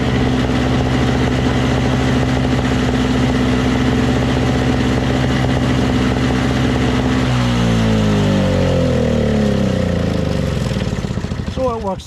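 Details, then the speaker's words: Single-stage two-stroke snow blower: a buzzy note at steady high speed that changes tone as the load shifts, with no faults heard; the auger was briefly hung up and now engages and disengages with the handle. Normal running. "fine it was just hung up for a second you know but then when you once you loosens up it stops when you uh disengage the handle and it starts when you engage the handle"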